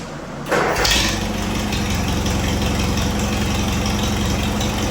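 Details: Engine of a 1956 Air tractor, restarted after coolant top-up during a revival after decades of sitting: cranks briefly, catches at once and settles into a steady, even idle with a low regular beat; coolant is seen circulating, so the water pump is working.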